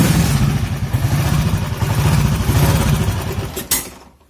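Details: Honda CG motorcycle single-cylinder engine idling with an uneven, loose thudding clatter underneath, about three to four knocks a second; strange internal engine noise, cause not yet known, engine to be fully disassembled.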